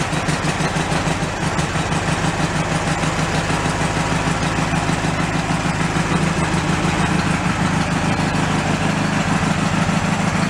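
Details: Mid-1980s Snapper riding mower, seat safety wires jumpered, in neutral: the small single-cylinder engine holds a steady, even idle with a quick regular putter and no misses or knocks. It runs fine.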